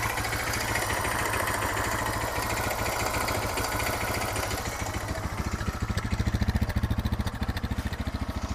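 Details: Suzuki DR650 single, long-standing steady ticking knock about three and a half per second at idle, present in neutral and accelerating, fades on deceleration, returns at low revs; valve clearance and cam chain tensioner checked, cause unknown.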